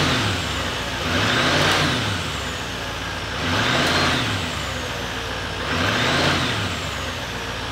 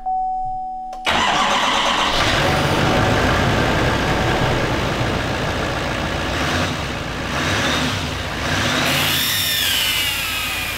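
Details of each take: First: 2018 GMC Sierra 3500 HD salvage rebuild, after replacing the pipe and seating its gasket. Three smooth revs rise and fall evenly with no whistle or air hiss as the throttle opens; the noise is gone. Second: 2018 GMC Sierra 3500 HD salvage rebuild. The engine cranks, catches and idles with a thin hissing whistle over the rumble from exhaust escaping at the EGR pipe flange gasket; the flange may be bent. The fix is to replace the pipe between the intake and the EGR.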